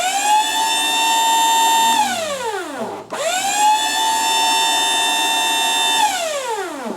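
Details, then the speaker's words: Forklift hydraulic lift pump motor runs on by itself once the battery cable is reconnected, a steady high electric whine that winds down when power drops; suspected stuck or welded lift contactor or a cable fault. "you put this cable back on and you'll hear the pump just stay"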